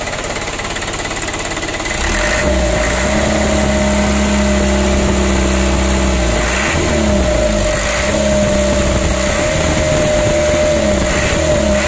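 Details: Ragasa 120 PS diesel after repair of a leaking injector nozzle seat (old Dextone glue removed): steady idle with an even knock at about 207 per minute and no hiss or puffing; no more leak, healthy.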